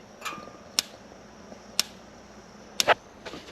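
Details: Jotul GF 160 gas stove after replacing the corroded pilot assembly 225681 that had stopped ignition: sharp, irregular clicks about once a second in a quiet room, the igniter sparking normally at the pilot before the pilot and main burner light.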